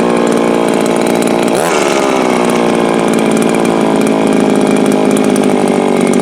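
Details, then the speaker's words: Viper two-stroke ice auger at full throttle: screams flat out, dips and recovers, holds thin buzzy note; owner suspects lean running out of fuel, though it also sounds a little rich and runs harder on choke. "That sounds more like it was doing outside. So that sounds to me like it is lean and leaning itself out. But it also sounds a little rich, but if you run the choke, you can run it harder. So it's just running out of gas."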